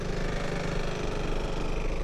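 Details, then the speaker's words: 2002 Suzuki Burgman AN400 scooter, 26,000 miles, on its first ride: a single-cylinder idle with a sharp puffing chuff on each firing pulse; an exhaust leak the owner says will be fixed. "and to be quite honest with you she's got a little bit of blow on the exhaust which will get fixed"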